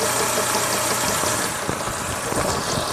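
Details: Renault Logan engine: light irregular ticking and knocking over a steady idle, sharper near the end, from a timing belt with defects that had to be thrown away: timing belt knock.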